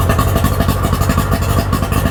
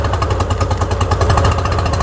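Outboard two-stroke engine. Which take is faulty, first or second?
second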